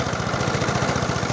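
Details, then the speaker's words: Briggs & Stratton 375 engine on a Wolf mower with a suspected blown head gasket, oily around the head, idling just after starting: sharp regular puffing tick on each firing stroke, an air leak from underneath; ticking air leak at idle. "On entend quand même un claquement, une fuite d'air qui vient de là en dessous, vous voyez."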